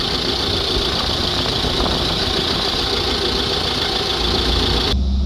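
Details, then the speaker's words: Iveco Daily 2.3 diesel with a DPF high-resistance fault (P1206), power loss and a newly fitted turbo, during an on-the-spot forced regeneration near 600°C: a loud steady airy roar over high revs as the viscous fan engages after a long delay, then a sharp cutoff. "okay so that is now coming back down looks like there was a long delay there before the viscous fan came on"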